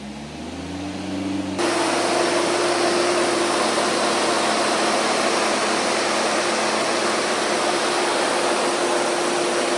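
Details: Freshly installed 4.6 stroker engine in a 25-year-old Jeep, first start before break-in: catches and settles into a steady, even run with a constant hum and no knocks; normal running.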